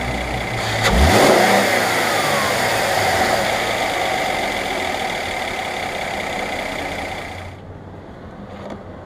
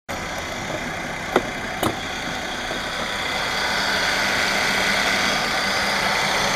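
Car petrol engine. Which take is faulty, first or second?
second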